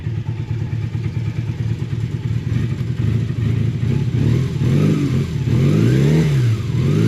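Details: Honda motorbike (V65 Magna, VT500C or CM250T) that sat 8 months on possibly years-old petrol, warming with the choke dropped in: lumpy idle, and blips rise and sag unevenly instead of climbing cleanly. Stale fuel is suspected as the cause of the hesitation.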